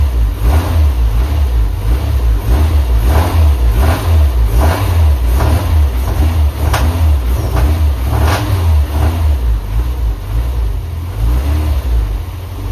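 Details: Honda Civic after a new coolant temp sensor and new distributor ignition module and rotor, running a base map: repeated rev blips with sharp popping cracks at certain rpm. Cause not yet found.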